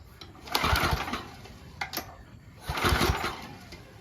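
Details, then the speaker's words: 10 HP Tecumseh engine on 5250 W generator after carburetor replacement, choke on, after sitting long unused: two rope pulls, short rattling bursts, no firing; cranks but won't start, switch later found faulty. "Ooh, sounds like I'm gonna have to pull it 800 times."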